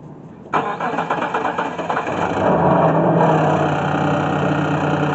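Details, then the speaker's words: 2000 Mitsubishi Montero six-cylinder, unrun since 2017, no crank no start: with alarm wire disconnected to bypass intermittent alarm fault, short crank then quick catch to steady, even idle; starts normally. "so i disconnected this wire right here to bypass the alarm now i'm going to go ahead and crank it see if it starts"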